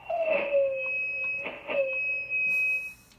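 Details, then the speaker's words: Drake TR4 transceiver on 40 meters with long wire antenna: steady high heterodyne whistle with a lower tone sliding as RF tune moves; disappears without antenna, suspected antenna-related oscillation around a replaced tube. "so if i go to 40 meters here and give it some volume you can hear the little heterodyne and if i move the rf tune here"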